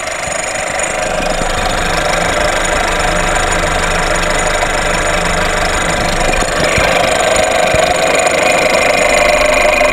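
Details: VW Golf VI 1.4 TSI (CAXA) at idle, still ringing after a new high-pressure pump made no change. Busy metallic rattle and chirping ringing that brightens midway. Chain timing is off by a tooth, not the high-pressure pump.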